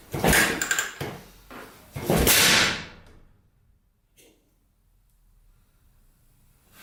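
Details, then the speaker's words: 1980 Yamaha XT500, sat over 20 years, valves just set to spec (intake 0.004 in, exhaust 0.006 in): sharp, loud pops while trying to start and it won't catch. Owner suspects a clogged pipe, later ignition timing; unconfirmed. "Holy cow, backfiring a lot. I wonder if that pipe is clogged."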